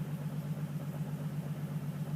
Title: 350z misfire/slight knock